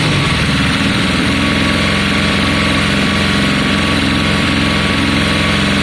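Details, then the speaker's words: 1972 Triumph Bonneville T120 twin, Mikuni carbs, kick start, first start in a long time, cold on choke: fires on both cylinders, settles into lumpy, uneven, steady but ragged idle just after starting. "yes yes we've got both cylinders no now you're on choke on on this side the choke's now on"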